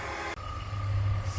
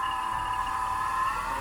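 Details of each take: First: BMW E46 petrol engine idling with a steady low rumble and no obvious whine after the A/C compressor is checked; the whine is suspected to come from the A/C compressor. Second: BMW E46 at idle: steady high whine wavering slightly in pitch; suspected air-conditioning compressor, sounded normal once the compressor belt was removed; AC compressor whine.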